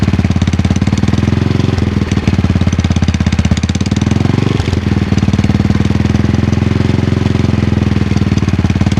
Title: Cold start - Clicking noise primary side